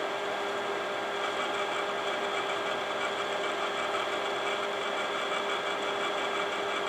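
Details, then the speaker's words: Imation LS-120 SuperDisk drive (one of seven bought used), writing to disk: constant buzzy whir with a thin high tone; head movement sounds off, owner suspects track-finding alignment fault, and the written data comes back corrupted. "I don't know what the deal is, considering that it's working with SuperDisk okay at the moment. But yeah, that head operation sounds different in that drive for sure."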